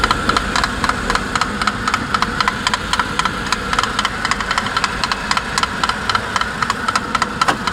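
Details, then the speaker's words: 2008 Suzuki Grand Vitara J20A 2.0 engine, 87,000 km: sharp, regular metallic knocks nearly four per second above idle, only on cold start, lasting 3-5 minutes, absent when preheated; owner suspects piston skirt slap or spun crank bearings, not chain. "вот такой вот стук, который дюже напоминает стук юбки"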